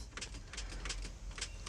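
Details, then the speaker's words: Old car which had been sitting; the battery has voltage and the lights dim. Quick dry clicks with no cranking; the starter is suspected but not confirmed. "did y'all hear that click that click simulates or or sounds like the starter is trying to start"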